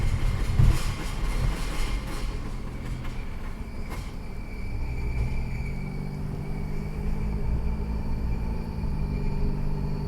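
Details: 2008 Ford Edge with bad transfer case/gear core: heavy low rumble and droning growl while driving, with an early knock, clunk and grinding from the failing transfer case.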